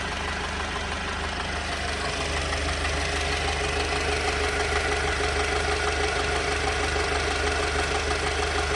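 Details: 2018 Alfa Romeo Stelvio, 52k miles, rough idle with an uneven pulsing beat about three a second over the engine drone, persisting despite new engine mount, fuel pump and module, 20k-mile plugs, 15k-mile belt, and freshly cleaned injectors.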